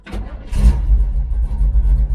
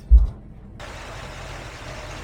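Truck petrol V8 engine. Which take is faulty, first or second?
second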